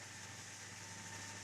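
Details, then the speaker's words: AMD FX-8350 stock CPU cooler fan near its 6,000 RPM maximum, CPU around 69 degrees, in a small Zalman Z1 case before swapping to a Cooler Master Hyper 212 EVO. Constant airy rush with a steady high whine, no rattle; pretty awful. Loud fan at full speed. "So I believe now you can hear what the noise is like. It's pretty awful."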